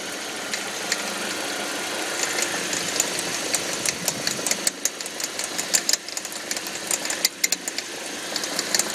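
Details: 2005 Audi 1.8T in gear under load: sharp, irregular popcorn-like rattle over the running engine from around the alternator, only in gear; no check engine light or oil pressure errors; owner suspects water pump or alternator.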